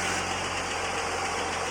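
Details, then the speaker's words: Holden VS Commodore L36 Ecotec ute after a camshaft replacement, with new oil and filter, at idle: steady, even running with no knock, tick or lope. The former lump is gone and it runs smooth. "you can hear it running i went out the back and listened to the exhaust there's no lump anymore it's running beautiful and smooth"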